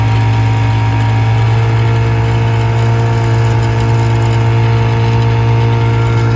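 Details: 1956 Johnson 7.5hp AD-10 outboard pushing a 14-foot deep-V Sylvan boat in gear at about 8-10 mph: steady even low drone, smooth unbroken beat under load, no misses or knocks; very good running, quiet, reliable motor.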